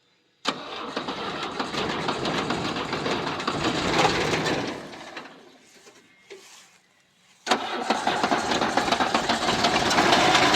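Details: Old non-direct-injection diesel G-Wagon-style vehicle that had been parked a long time: engine catches with rough clatter, fades and dies, then fires on second try; hard starting after sitting, starts easily when driven continuously.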